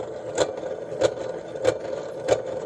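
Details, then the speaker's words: Continental TP410 rim-drive reel-to-reel tape deck in rough mechanical condition: regular thump once per turn over a faint whir. The play rim drive tire is worn in bad shape. "Pretty bad. The tires are in pretty bad shape."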